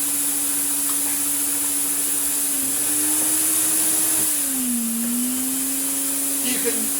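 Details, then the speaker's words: Restored Electrolux Z2060 Electronic vacuum cleaner with the hose switched on. The smooth motor hum sags to a lower pitch and settles there, roughly 800 W versus 1000 W normal. 1400 W comes only while holding the hose button. Reduced hose power setting. "hear it's a bit lower maybe 800 you've got to hold down boots to get 1400 bucks"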